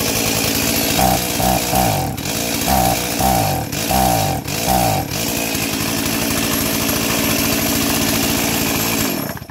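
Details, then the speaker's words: Stihl 036 junkyard chainsaw, first start after carb install and new NGK plug, no air filter fitted: revs up then sags about five times in four seconds before settling to a steady high run; bogging, cause not confirmed. "It's got no air filter on it right now and it's bogging down, but hey, we got fire."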